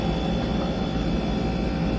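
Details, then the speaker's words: Brastemp Frost Free BRE57AB Inverse 443 L two-door fridge after disassembly and repair of a noisy fan: even steady airflow rush with low drone, no scraping or rattling; fan running normally, problem solved. "normal barulhinho dela [Música] então resolvido"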